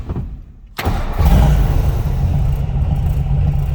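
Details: 1955 Ford F100 short-box pickup with side pipes exiting under the running boards, push-button start: brief crank, catches at once and starts easily, settling into a steady, deep, even rumble with no misses or knocks; healthy start.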